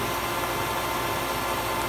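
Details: Hayward pool heater after DIY repair of a defective bypass assembly, having been making loud banging and clanging noises: steady, even burner roar with no bangs or clangs; heater now firing cleanly and normally.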